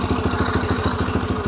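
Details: Yamaha TT-R125 after carburetor clean and rebuild, choke off, fuel about a year old: crisp even single-cylinder thump, about twelve beats a second, steady with no stumbles or misses; healthy idle.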